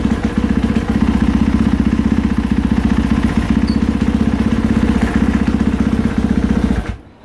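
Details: 2020 KTM 450 SXF idling while clutch pulled in and let out: quick uneven tapping and clunking from the clutch area caused by worn rubber clutch dampeners, caught early.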